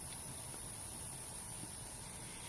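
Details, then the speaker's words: OEM FSP power supply, about a decade old, sleeve-bearing fan after lubing: steady even low whir with soft constant hiss, no ticking, grinding or former hornet's-nest noise; fan running normally. "the fan sounds perfectly fine now though no crazy noises coming from it doesn't saw like a hornet's nest anymore"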